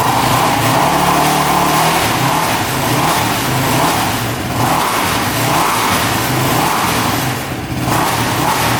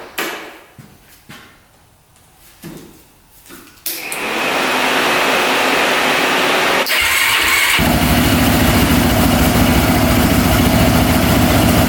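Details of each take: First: Quad after carb cleaning and valve shimming, accelerator pump confirmed spraying: engine revs up and drops back cleanly with no bogging or misfire; pulls strong, normal running after the fix. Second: Jump-started engine with a dead battery; needs full choke to come close to starting, very hard starting, then runs loud, rough and ragged on choke; poor running, carb and fuel suspected, cause not confirmed.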